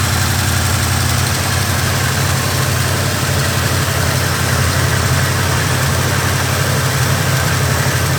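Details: Oldsmobile Cutlass with a carbureted Rocket 350 and Quadrajet: a deep V8 idle with an uneven, loping beat and slight hiss that never settles. A vacuum leak is still upsetting the idle.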